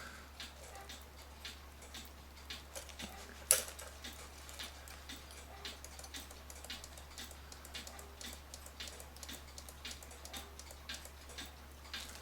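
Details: Citizen battery-powered cuckoo clock that previously would cuckoo but not tick; pendulum has a slip clutch, clock tipped level to restart; soft steady ticks about once a second over a low hum, movement running evenly again.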